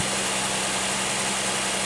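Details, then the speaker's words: 2001 Pontiac Aztek GT V6 after the loud high-pitched noise was found: a steady idle with an even low hum, no whine and less shaking, though a misfire still shows. "it sounds good it's not even shaking as much now well it's still showing up as a misfire but oh man I cannot believe that"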